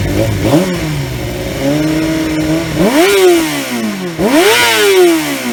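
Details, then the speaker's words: 2003 Yamaha YZF R6 after ignition coil replacement fixed rough running on two cylinders; exhaust dented. Crisp clean blips rising smoothly and falling to even idle, no stumbling or popping; normal idle and revving. "the bike sounds much better even though my exhaust is still dented in because I'm an idiot but that's besides the point overall she sounds good though"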